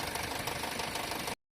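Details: Geely Coolray, BHE15-EFZ petrol engine, idling after oil change and phaser valve cleaning: a fast, even metallic knock of about a dozen taps a second remains unchanged. Owners first suspected poor oil. Engine knock at idle.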